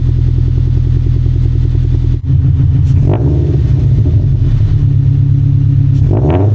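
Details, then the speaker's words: Subaru BRZ boxer on a freezing morning, just fitted with unequal-length headers and a stage 2 tune; the header leak was fixed by tightening and moving the gasket: lumpy burble with two crisp throttle blips and no puffing or ticking. Normal revving. "That's subie. So, I was able to tighten these a little bit more and uh move the gasket a bit. And uh seems to be okay right now."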